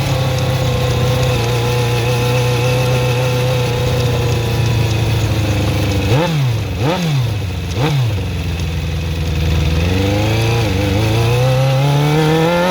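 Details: Suzuki GSX-R400 (RL) motorcycle engine at a busy idle with a few quick throttle blips: light tick riding over it; owner suspects valve shims or timing chain, source unknown.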